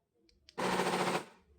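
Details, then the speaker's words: 2008 Honda CR-V door lock actuator: harsh rapid machine-gun rattle about half a second when alarm remote unlocks the door. "Fazendo barulho na trava da porta. Na hora de acionar o alarme aqui na hora que ela destrava."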